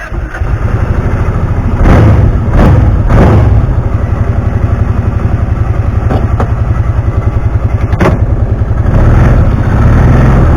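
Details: 2009 Kawasaki Teryx 750 fuel-injected, after fix for backfiring and power loss when warm (nail inserted in center section): fires up, steady twin-cylinder thump at idle with blips, no backfires or stumbling — runs perfect.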